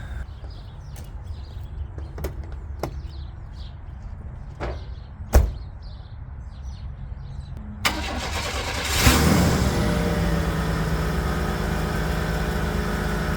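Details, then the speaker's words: 1995 Chevrolet S10 Blazer, first start: a few clicks, brief crank, fires right up and settles into a steady even idle with no knocks or ticks; normal start, with a possible accessory pulley or belt noise suspected. "the sink pretty much fires right up sounds really good"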